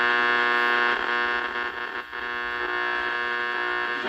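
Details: 1947 W.T. Grant AM radio during restoration with some capacitors still to be replaced: a loud, steady, unchanging low hum under the audio, plus noise between stations. The hum is suspected to come from the supply, not confirmed.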